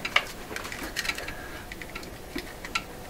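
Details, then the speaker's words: 1928 RCA Victor Model 28V radio, unplugged: irregular loud ticks persist in quiet room, so not from the set; owner suspects computer equipment under the bench, unconfirmed. "I had my suspicions about exactly what it is that's making that very loud ticking sound. Still there. And I'll tell you what it is. I suspect part of my computer equipment, which is located right under the bench here, it's just right up under here, is is noisy."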